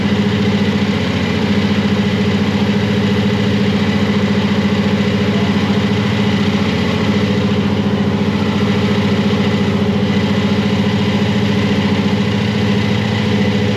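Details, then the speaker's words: Supercharged (blown) Chevy C10; lumpy but steady idle pulsing about 214 a minute with heavy burbling exhaust: idle mixture deliberately set rich for warm-up, screws to be run in. "It's a little fat on the idle, so we're gonna run all the screws in. I had it set fat to run on idle just to warm it up and keep it running, and hopefully that was a problem."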